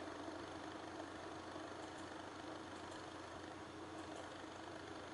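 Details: GTX 970 graphics card fans spinning freely again after freeing a stuck fan that had let it reach 92°C at idle: faint steady whir, even hum, no ticking or rubbing; fan speed 33%, under load, temperature dropping toward normal under 40°C.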